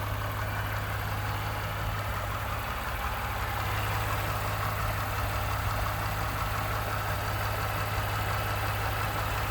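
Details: 2018 Ford F-150 with 2nd-gen 3.5 EcoBoost V6, 29K miles, at idle; heavy steady idle with a faint rhythmic rattle and knock about three per second underneath, cause not pinned down (owner mentions cam phaser startup rattle).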